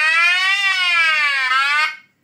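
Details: Bellfruit/Hartley Scorpion 2 board: clean buzzy tone sweeping down and up for about two seconds, then cutting off cleanly; sound output working normally.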